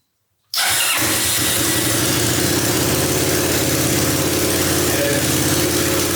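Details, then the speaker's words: Honda Helix maxi-scooter after rebuild, first start on old fuel: engine catches first try and settles into steady, even buzzing idle with no misses or knocks; normal start and idle. "Once I got it running, I just couldn't wait. I had to take it for a quick spin"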